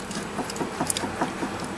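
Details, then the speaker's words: 2002 Toyota Corolla front-end rattle. A torn boot let water destroy the sway bar link joint. Rocking the link by hand gives light, loose clicking from the play, which is louder over bumps at speed. Worn sway bar link, to be replaced. "let me show you what that noise sounds like and then we're going to repair it and get this job done just a little bit of play in there"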